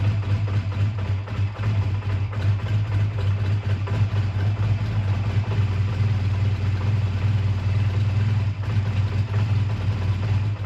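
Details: A 2001 Honda Rebel, tired but running well, idles with a low, steady, even thump and no misses or knocks, after a choked cold start at 22° that stalled once and a suspected slight fueling problem with a gas drip; normal idle.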